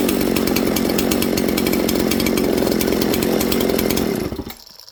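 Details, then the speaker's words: Mystery 200-series "266" chainsaw from a junkpile, red cases carrying a Husqvarna tag. It screams at high revs with a buzzy note, then the revs sag when spray is applied at the crank seal behind the oil pump: crank seal air leak. "When I sprayed this into there, did you hear it slow down? Now, because the crank seal is behind the oil pump, it's really hard to suck it into there, right, on these."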